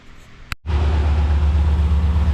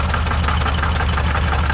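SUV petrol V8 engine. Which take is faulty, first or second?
second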